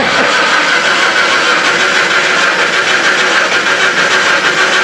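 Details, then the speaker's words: 1991 Jeep Comanche cranking strongly and evenly at about two turns a second on a good battery but never catching; no spark because the distributor rotor broke apart; crank no start. "so as you can see it's not starting but we got plenty of battery it's cranking not sure if this is a fuel problem not sure if it's electrical"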